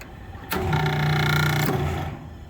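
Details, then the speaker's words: Kitchen exhaust hood fan motor, energized after the breaker tripped and all the fans went down: kicks on with a rough buzzing hum and a rattly edge; bad motor bearings, the likely cause of the breaker trip. "Motor's got bad bearings. More than likely, that was the cause."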